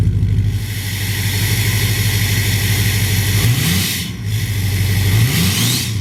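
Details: 2007 Ford F-250 Powerstroke diesel on its newly installed MBRP 4" cat-delete exhaust, first run: deep, even idle with two quick rev blips rising and falling cleanly; normal idle and rev.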